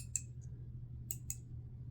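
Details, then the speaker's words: 2011 Audi A6 steering column ignition module (EZS), removed on the bench: sharp irregular clicks over a low steady hum, sounding hollow inside; burn marks visible on the module; faulty unit. "and giving a weird noise as if it's a hollow from the inside"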